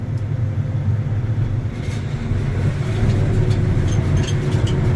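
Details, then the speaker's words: Combine at first idle after repair, run outside with the door open to listen for odd noises; deep steady rumble with no knocks, rattles or squeals, sounds fine, just dust. Normal idle. "dust we got dust but it sounds fine close that door a little bit so we don't get quite so much dust in here"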